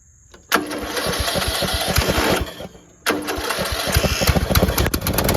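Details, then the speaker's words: Small single-cylinder engine on a cheap used riding lawnmower, restarted after refitting a loose exhaust bolt without a gasket: fires right up into a steady, even putter, cuts out briefly, then restarts cleanly; a lot quieter, though still blowing some oil from somewhere. "That is a lot quieter. Still blowing some oil from somewhere."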